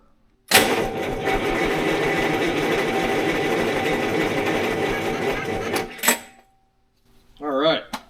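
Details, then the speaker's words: 6V92 Detroit diesel fire pump engine, 487 hp, 600 hours, rack under manual control: about five seconds of sluggish, labored grinding crank with no firing, as the weak batteries put out little power. "so it'll crank freaking batteries sure as hell ain't frigging put put out a whole lot of juice are they"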